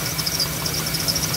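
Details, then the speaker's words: Dodge 5.9 V8 idling with a newly dealer-replaced belt tensioner: a fast, light rattle plus a high squeak from the tensioner. Owner hopes the belt is too tight or misaligned. Belt tensioner rattle and squeak at idle. "This is the pulley tensioner down here. It's rattling. We'll start it up. And you can hear that rattle in there and it squeaks."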